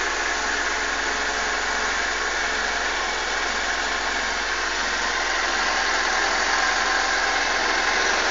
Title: SRAD 600 Gixxer GSXR engine start up rough idle schlechter leerlauf